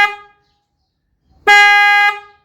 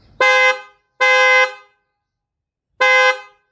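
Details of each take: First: 4th-generation Kia Sportage dual-tone horn with high-pitch horn disconnected or faulty, only low-pitch horn sounding: single short deep dull blast lacking the sharper factory tone. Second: Kia Sportage 4th generation dual-tone horn, bumper removed: three loud half-second honks, full and rich with low and high notes blended; both low- and high-pitch horns working normally, louder, richer and more balanced.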